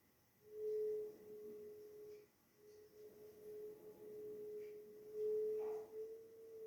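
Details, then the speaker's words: Strong cold wind blowing into a house through an open flexible wall conduit left by the electrician rewiring the old installation; a steady pure whistle around one pitch swelling and fading with gusts. "Entra aire. Afuera hace un frío bárbaro. Hay viento. Ese viento está tocando ese instrumento flexible que ha dejado el electricista, que está arreglando toda la conexión de la casa, que tiene una conexión antigua."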